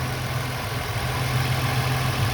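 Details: 2001 VU Holden Commodore Ecotec 3.8L V6, hot after swapping the 82°C thermostat back to a standard 90°C one for poor fuel economy, no leaks, temperature gun reading 84: steady, even low hum with no knocks, misses or surges, a normal warm idle.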